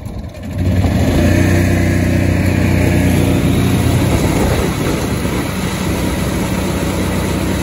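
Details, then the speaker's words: Kawasaki FE290D in a John Deere Gator after replacing the failing ignition coil, test run before final bolt-up: fires evenly, picks up cleanly when revved, settles into smooth steady run; fixed. "let's give it a crank so far so good [Music] back on runs like a supposed"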